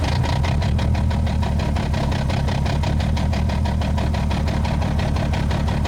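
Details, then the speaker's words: Manual-swapped 1998 BMW 328i (E36) after its first test drive: idle sits very low with an uneven, lumpy beat of about three or four pulses a second; running rough, cause not yet found. "yeah I don't know it's being really weird it's idling very low I don't know if you guys can hear that"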